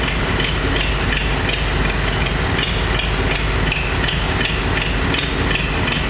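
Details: Farmall 350 diesel tractor after rebuild, block warm but temperature gauge low (thermostat suspected): loud clatter at idle with uneven lumpy beat, one cylinder seemingly missing; cracking No. 1 injector didn't change tone; fires on all four when lugged in 5th.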